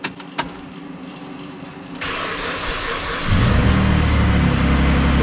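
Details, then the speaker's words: Saturn Aura 3.6L V6, after repair for rod knock, on a half-dead battery: short cranking, then catches within a second and settles into an even, steady idle with no knock, where it knocked for a few seconds before; normal cold start. "she is she's running i don't hear any knock i don't hear it knock you guys remember when it first started fired up before it would just knock for about two or three seconds and then that was it i don't hear a knock this time it's actually running rather well"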